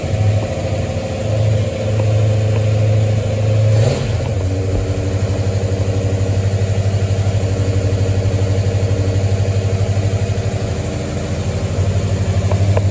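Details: 1973 Mustang after a 1G-to-3G alternator conversion, restarting after an earlier crank-no-start (possibly flooded): catches quickly, settles into a steady low idle with no knocks, misses or rattles. Charging 14.19 V, about 9 amps.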